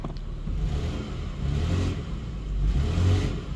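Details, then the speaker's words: 2002 Toyota Highlander automatic, no reverse: in reverse the engine note rises then sags and labours without the vehicle moving, while drive works; no related trouble codes, a piece of metal seen; reverse not engaging. "you can hear the engine's kind of bogging down but it's not moving"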